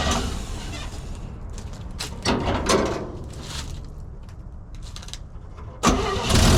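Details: 1965 Chevy C10 carbureted V8 cold start after sitting 6 hours on a chilly day: uneven cranking with stumbling catches and surges before a rough start; no choke and missing accelerator pump.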